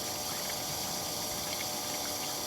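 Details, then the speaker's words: BMW E30 fuel pump volume test, with the pump run for 30 seconds into a bottle against an 875 ml spec: a steady, even whir with a faint high hum and no surging or grinding; the electric fuel pump works normally. "good thing about doing this test is it will also confirm that your fuel pump does work"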